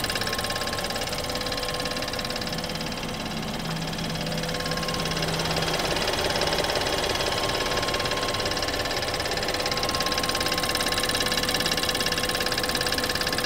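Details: BMW 320i F30 on startup: fast regular ticking about three per second over steady idle with faint tone; owner suspects high-pressure fuel pump (HPFP) issue.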